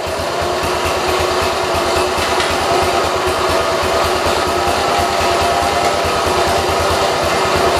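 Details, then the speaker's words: 1968 Kohler-swapped 112 tractor, single-cylinder engine at steady speed: thick, slightly labored beat, sounds choked and getting too much gas (running rich); owner hesitant to shut it off in case it wouldn't restart. "I didn't know if it'd start back up but it also sounded like it was being choked it's getting a little too much gas"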